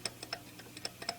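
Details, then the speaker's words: 2007 Honda Odyssey EX-L serpentine belt tensioner pulley spun by hand: dry, uneven clicking ticks several times a second and noticeable play, where a new one is silent; worn tensioner bearing, being replaced. "the noise it's it's it's uh it's produced look do you guys hear that see that noise you don't want that the brand new one doesn't do any noise it's silence"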